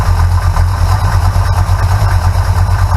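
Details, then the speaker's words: Big block Mopar V8 with manual fuel pump and phenolic spacer fitted against vapor lock, idling: steady even low rumble with no tapping at the fuel pump; normal idle. "that's the noise you hear there that's the normal noise that's always made"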